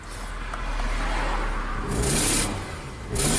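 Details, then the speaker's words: Nissan Sentra running poorly with a shorted 5V reference: engine revs twice with raspy, hissy blowing rising each rev over idle. Definitely exhaust, and new; clogged cat also wondered about, unconfirmed. "what do you think that sound is huh what do you think that sound is definitely exhaust but it was not doing that before"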